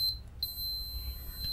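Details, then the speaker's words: Old external USB hard drive that won't spin after a power surge. A steady high meter beep across the 12 V TVS protection diode, which reads short and is almost certainly the fault. Shorted TVS diode. "reads short and almost certainly that's what's wrong with this so one end of this would go to ground"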